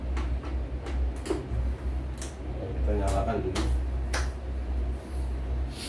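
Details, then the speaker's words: CNY embroidery machine on the bench for service, powered on for a check: a few sharp clicks and a brief rising motor whir as the frame homes on power-up; calibration judged OK, normal start-up cycle. "Untuk kalibrasinya dirasa oke ya."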